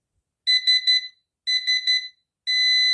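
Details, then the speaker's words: New PowMr 3 kW (3.2 kVA) inverter: beeps, then a steady buzzer alarm after power-up despite the buzzer being disabled, so the setting isn't retained. External memory was suspected, but replacing the memory chip didn't help. "він знову пищить так вимкнув я йому пищалку знову е відповідно Можливо щось з пам'яттю зовнішньою спробую просто її замінити"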